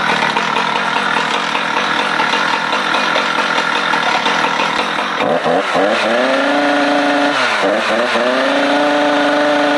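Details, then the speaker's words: Husqvarna 455 Rancher chainsaw, revved outside: revs rise on each throttle blip but flatten short of a proper high scream with ting-ting noises, no top-end power; removing the air filter changed nothing, dirty fuel filter blamed. "the main thing is the top end of this thing is just it's got no it's got no guts you throttle it up and it's it's not reaching a proper RPM"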